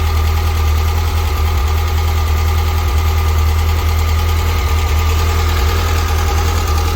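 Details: Freshly built 100 HP 1641cc air-cooled flat-four for a Karmann Ghia, first run after build, before dyno: deep steady low drumming at an even pace with no knocks or misses; engine sounds healthy; normal running.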